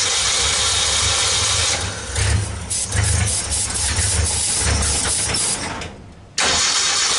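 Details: 1964 Ford Econoline van with a 170ci six and points ignition, previously crank-no-start. With the coil resistor bypassed and 12 volts fed straight to the coil, it catches and settles into a steady, even idle with a dip in the middle, running smoothly.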